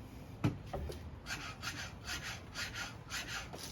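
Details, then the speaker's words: 2021 Yamaha YZ250 fork being stroked before its spring was polished, during a Race Tech spring upgrade: dry scraping rasps about three times a second as the spring rubs inside the tube; polishing gave a smoother sound. "That's what it sounds like when the spring's not polished."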